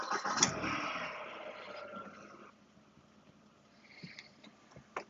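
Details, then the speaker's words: 2000 VW Golf Mk4 GTI 1.8T 150bhp AGU petrol, 119,000 on the clock, after recommissioning (full service, timing belt, water pump, brakes, tyres): starter catches quickly, smooth even idle, no stumble or misfire; runs really nice now. "It runs really nice now."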